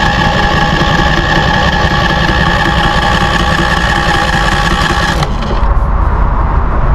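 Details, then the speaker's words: New Westinghouse iGen4000DFc dual-fuel 4000 W peak generator on its first start: the starter whirs for about five seconds without catching because the fuel selector was left on propane instead of gasoline. Fixed by switching to gas. "Shut this uh switch off. I didn't choose my fuel. So, right now it's on propane."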